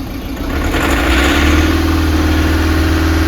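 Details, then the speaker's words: Volkswagen Polo diesel revved: uneven rough knocking about four beats a second, like something broken inside the engine, with misfiring, heavy white smoke and very weak pickup. "अभी जैसे हम इसमें accelerator देंगे तो ऐसा महसूस होगा जैसे इंजन के अंदर कुछ टूट गया है।"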